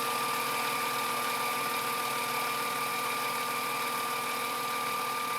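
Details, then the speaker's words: Grizzly G0765 7x14 mini lathe at 950 RPM in low gear, after new motor pulley, steel headstock gears and tapered roller spindle bearings: steady, even motor whine at constant pitch with no knocking or grinding; runs smooth, slight vibration from an unbalanced four-jaw chuck. "you can see it's 950 RPMs which is about what I was getting before although this is running incredibly smooth now"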